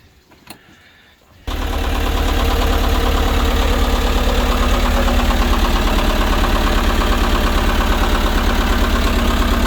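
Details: Isuzu-based Mercruiser diesel replacing the gas V8 in a Sea Ray 240 boat, oil full and fuel prime checked, cooling water on, first test start; quiet for a second, then it catches at once and settles into a steady, even idle clatter, no misses, healthy.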